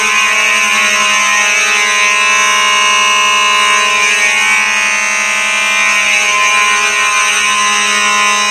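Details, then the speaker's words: Simplex 4004 panel set to continuous, Simplex horns sounding: very loud, unbroken, buzzy tone held steady without pulsing; normal fire alarm horns on continuous pattern. "god that was loud this is why i don't really care for the continuous too much"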